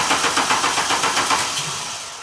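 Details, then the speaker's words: 2000 VW Cabrio (MKII) that turns over but won't start and makes a brief attempt to fire when the key is released: steady cranking at about seven pulses a second that fades without catching; points to a bad ignition coil. "and as soon as I let the key off you hear that little attempt for the of the engine to start up once you release it once you release the the ignition button off the stop position"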